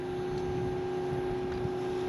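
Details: Newport NK180 transom motor on a 2019 Hobie Outback at 50% speed, drawing 31 watts from two 12.8V lithium batteries in series: a smooth, steady mid-pitch electric hum with no rattle, grinding or surging. Normal.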